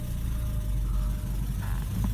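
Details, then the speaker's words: 1987 Porsche 944 Turbo, long-sitting car, idling after engine reassembly with new seals and oil pan; low, steady idle rumble with no misses or knocks, boost gauge moving, idling well. "Seems to be idling well. Go around here and let you guys hear it."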